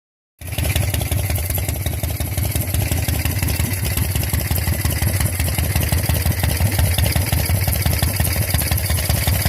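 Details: Shovelhead Harley V-twin idling with lumpy, uneven beat and a faint steady hiss over it, traced to a leaking pushrod tube base seal.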